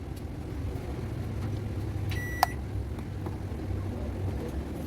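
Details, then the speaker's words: Digital microwave that hummed loudly and would not heat, after the shorted high-voltage diode was replaced: one short, clean beep over a soft, steady low hum with no heavy drone, starting normally; it now heats again. "Ibig sabihin gumagan na siya umiinit na yung inilalagay dito pwede na uli siyang gamitin ng may-ari"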